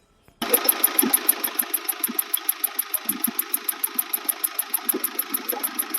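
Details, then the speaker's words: Mahindra Scorpio mHawk diesel with a new turbo, idling with a sharp, even "tak tak" tick about seven per second. Injector coding, including swapping cylinder 1's code, did not cure it, so the ECM is being swapped. "तो last में इसका am change करके देखते हैं क्योंकि गाड़ी तो हमने टर इंजन की तरफ से सारी चीज चेक कर ली है"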